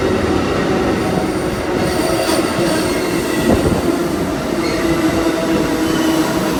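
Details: Amtrak 20 with P42 locomotives meeting NS AC44C6M and ES44DC locomotives: steady high squeal over the rolling rumble and clatter of the passing train; wheel squeal, cause unknown.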